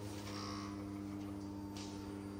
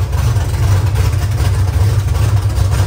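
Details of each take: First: Steady low electric hum at fixed pitch with engine off: fuel pump priming at key-on on an LS-swapped Nissan S14 before its first-ever start; fuel leak heard afterward, fuel pressure unverified. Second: Nissan S14 with LS V8 swap at first start: loud, deep, steady open-pipe rumble with even pulses and no stumble; normal idle with no exhaust fitted.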